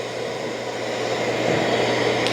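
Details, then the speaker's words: Dreame L40S Ultra CE robot vacuum dock during auto-empty: steady airy rush that builds slightly and stays even for a couple of seconds, not too loud; healthy, normal emptying fan. "Okay, it's gonna auto empty. Start auto empty. Not too loud."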